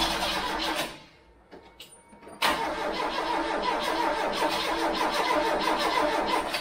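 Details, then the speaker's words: Freshly installed Pinto engine in a MK3 Cortina, timing being set, choke tried; starter chugs at about three turns a second, stops, cranks again, never catches; crank no start, owner suspects flooding, not confirmed. "it could have flooded now it's around that zone anyway I'm not I don't know why it doesn't just go like a trooper they normally just go like Troopers just kick straight in no matter what"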